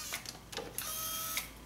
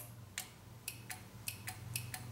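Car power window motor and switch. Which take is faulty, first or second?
second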